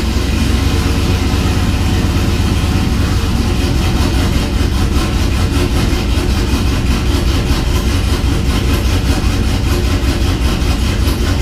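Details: 6.0 V8 swapped Cateye truck with BTR Truck Norris cam, idling after failed lifter (cylinder one driver's side) replaced with Morel drop-in lifters: smooth steady low rumble, no top-end tapping, normal idle.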